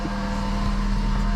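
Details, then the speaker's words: VW Golf 4 after replacing the stolen catalytic converter and exhaust. Steady, even low hum with no puffing, ticking or rattle; the exhaust is fine. A separate odd noise is blamed on the alternator, to be replaced. "ça dans une vidéo en france devant la voiture fait plus de bruit l'échappement est nickel"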